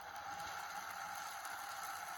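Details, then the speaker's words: Sky-Watcher Az-GTI mount after opening and maintenance, clutches closed, slewing at maximum speed 9 from the app: a quiet, steady high whine with no grinding or clicking; moves properly and smoothly. "And the mount seems to move properly and smoothly. There is no much of a bad noise."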